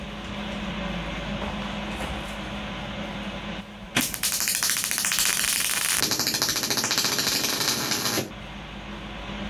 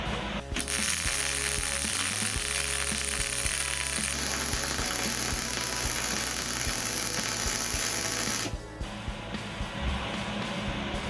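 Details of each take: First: MIG welder with voltage turned way down below chart settings, running practice beads: soft, uneven crackling arc with a soft hiss and irregular sputter, not crisp; voltage far too low. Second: Simple MIG welder at correct voltage and wire speed, practice bead on unclamped metal: steady even crackle like frying bacon with a few light pops; normal weld.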